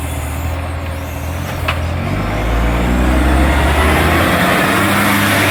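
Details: NAWMA FOGO 3520 diesel: a loud, raspy chuffing that pulses rapidly and swells as revs rise, sharper than a normal exhaust, pointing to a large exhaust leak.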